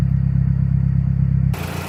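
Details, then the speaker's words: Stock 2009 Mazdaspeed3, parked two years, after replacing spark plugs: a steady, even idle, a little high, with no ticking or knocking. It is running smoother than before. "idling a little high that sounds way better yeah there was no knocking at idle this critical idling sound"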